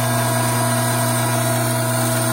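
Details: Hydraulic pump with a restricted inlet: a steady drone with a rough, hissy edge as the inlet vacuum rises from 3 to almost 16 inHg, system pressure drops from about 310 to just over 200 psi, and temperature climbs from 87 degrees. Cavitation.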